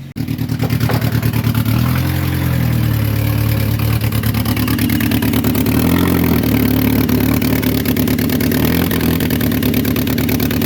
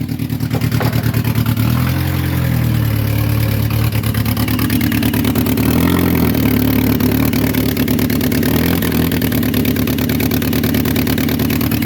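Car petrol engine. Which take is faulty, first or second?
second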